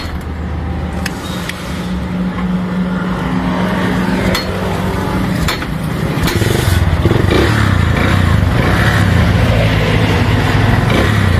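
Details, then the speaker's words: Small single-cylinder motorcycle idling steady with an even pulse after repair. The idle no longer rises and falls, and the earlier misfiring and exhaust popping are gone. "Naayos na nga ang unit nung ating customer so nawala na yung pamumusakal na rin yung kanyang mismong Menor hindi na siya nagtataas baba Gaya nung kanina"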